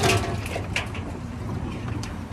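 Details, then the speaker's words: GE/Hotpoint top-load washer drum spun by hand: a smooth, low, even rumble with no grinding or roar. The tub bearing sounds good; water in the tub may be from rain. "bearing sounds good we're holding water but that could just be from rain"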